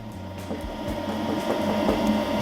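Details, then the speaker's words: LG 8 kg/5 kg inverter washer-dryer combo after water-damage repair, dry-mode test: smooth blower motor hum near 200 Hz with light tapping, no scraping or rumble; blower runs normally. "Blower motor, it's working, start to work."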